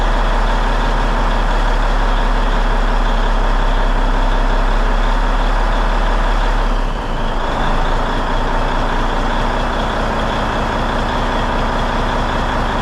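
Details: Peterbilt truck diesel, first start after cab refit with fresh fuel in the rebuilt tanks, warming up; steady, even idle with a smooth low drone, no knocks or misfires; runs clean.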